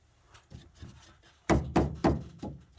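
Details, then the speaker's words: House PEX water pipes: a handful of sharp hollow thunks, about four in a second, right as the flow is shut off; water hammer rattling the pipes. "The one thing with water pipes is, you hear that rattling? There's going to be a video later on silencing, so you'll see what happens with that. If you got really good pressure in the house, you'll hear that when you shut off the faucet or stop the water in any spot."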